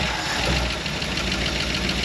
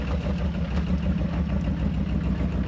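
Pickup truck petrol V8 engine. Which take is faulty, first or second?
first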